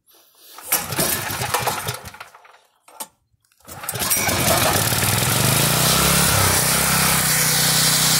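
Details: Generac 5500XL generator repaired for no compression (cracked valve keeper plate, governor readjusted from overspeed), new fuel filter and line: a couple of pulls, then catches and holds a steady, even drone with no surging; runs fine.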